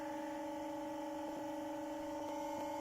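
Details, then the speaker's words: Motor on new bearings spinning at about 1400 rpm, input boosted to get the speed up: smooth, steady hum with clean even tones; the whoosh heard from the old China bearings is gone. "so freaking quiet do you remember the other bearings from the china ones it was there was like a whoosh noise"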